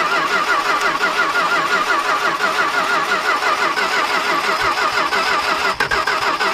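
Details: Dodge stepside big-block truck with fuel fed into the carburetor and a weak battery: the starter churns in a rough rhythm of about three pulses a second with brief catches but no sustained firing; cranks without starting.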